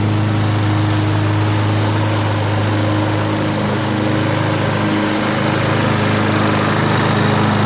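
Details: Free curb-pick John Deere JS63 mower, run to burn the tank dry for storage (about 25 minutes): steady, even drone at constant speed with no misses, knocks or surging; healthy normal running.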